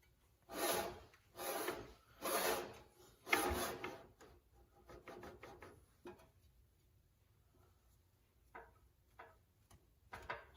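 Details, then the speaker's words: Slow rhythmic rasping scrape, roughly once a second, as the engine of a 1972 Homelite T12 lawn tractor, unused for years, is turned over; the noise seems to come from down inside the engine, source not yet found. "you hear that foreign from that it sounds like it's down in yeah I noticed a funny noise earlier when I was looking at it"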